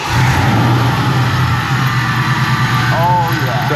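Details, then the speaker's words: Saleen Mustang, about 20 years old and supercharged: at steady idle a faint rough whirring comes from the front accessory drive. The supercharger was feared as the source. "as you guys can hear there is definitely some noise coming from the front of this car and we were very fearful that it could have been the supercharger as you guys know superchargers are all full of bearings"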